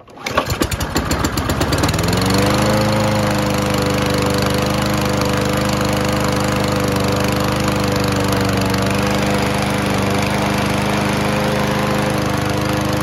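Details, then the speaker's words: Toro Recycler self-propelled mower, Kohler engine, sat a few months: after old fuel drawn from the carb bowl and fresh fuel came in, a few rough chuffs then a steady even drone; healthy run. "well that was easy sometimes it really just takes that old fuel getting sucked out of the bowl there and some fresh fuel coming into it"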